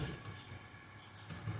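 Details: 2007 Nissan Altima 2.5 running with a loud, deep, rhythmic puffing and chuffing from an exhaust manifold leak, found under the manifold heat shield near the catalytic converter and oxygen sensor.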